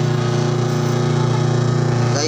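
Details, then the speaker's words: Camel twin-tub washing machine, newly replaced wash motor under first test via timer; strong steady low hum at constant pitch, no grinding or rattle, spinning freely and quickly, normal. "okay naman, mabilis siya naman. Ayan. Ayan. Tingnan natin kung nagre-reverse guys."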